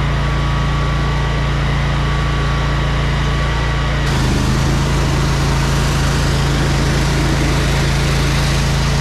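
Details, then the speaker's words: Electric-start, choked jetter trailer engine, after clearing clogged hoses: even steady drone with a smooth unbroken beat, shifting slightly in note partway through; runs cleanly. "Thing sounds good, man."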